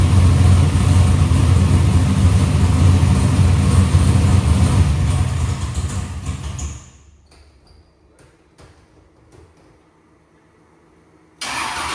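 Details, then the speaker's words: Box Chevy carburetor after a small idle mixture adjustment: steady, even low rumble with a regular lope; idle AFR is back where the owner wants it. "So, that small swing actually put the item AFR right back where I had it in where I wanted to run."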